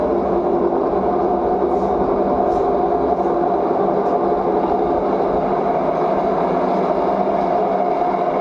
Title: LG Front load washing machine vibration Voice Problem #laundryrevolution